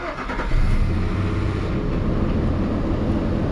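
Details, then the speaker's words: Nissan Xterra first start after installing a new A/C compressor (after clutch failure) and a new serpentine belt: starts cleanly and settles into a steady run with no belt squeal. "All right, sounds good."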